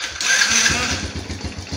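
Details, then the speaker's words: Old Yamaha Vega R with ignition cut-out and sudden stalling, tested with the ignition-switch kill wire (black/white) disconnected: after a brief hiss it catches and settles into a quick, even idle; it dies when reconnected, so the ignition switch is faulty. "nyala bagus ya ketika kita colok nanti dia tuh ketika kita colok dia mati teman-teman ya ketika kita lepas dia mau nyala seperti itu"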